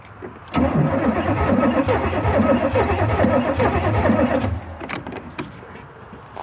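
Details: 1989 Camaro IROC-Z donor car, cranks but won't start after freeing a stuck starter; steady cranking about four beats a second without firing; strong coil spark seen so distributor works, plug wires in poor shape, cause unconfirmed.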